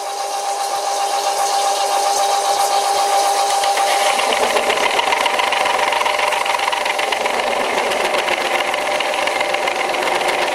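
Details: Old WW2 Fischer lathe on v-belt, topped with hydraulic oil, hand-fed test cut, owner worried the small motor pulley may slip: motor hum turning into harsh buzzing rattle once cutting starts; heavy cutting chatter.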